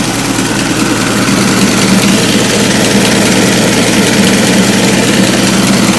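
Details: Ford Model T four-cylinder at normal idle, just after the rebuilt carburetor was refitted: a steady, even low chug with no knocks or misses, back up and running well.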